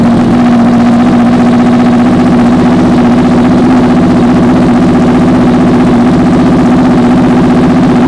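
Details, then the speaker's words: Honda VFR/CBR hybrid V4 with custom LexTek exhaust, just started after long storage; strong, even idle with smooth steady burble, no knocks or rattles, a little smoke clearing; healthy. "right, guys, I am so stoked that this thing runs now."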